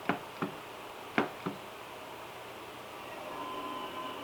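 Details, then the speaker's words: Sony PS2 SCPH-50001 on reboot with a Final Fantasy IX disc that previously wouldn't play: a few irregular clunks as the disc spins up and the laser seeks, then a faint steady whir. The drive keeps spinning without reading and ends in a disk read error. "This is what I tried to play before. Final Fantasy 9, 8, 8. Wouldn't play. It would spin and spin and spin."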